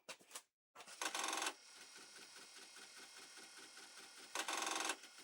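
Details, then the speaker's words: Apple III floppy drive, condition unknown, trying to boot Apple III disks: fast uneven chattering bursts as the drive tries to read, head banging around and boot failing; floppies also of unknown condition. "I just know it's banging around. Oh, that sounds awful. That feels awful, too."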